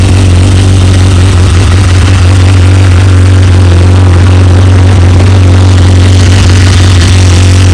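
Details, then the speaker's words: BMW S1000RR four-cylinder at about 26k miles, original owner, overdue service reminder, decibel killer insert fitted; smooth fast even idle with steady low exhaust hum, no rattles or misses, bike runs great. "bike runs great it's I can't wait for this thing to be finished because I just know how good it's gonna look so I am pretty pumped"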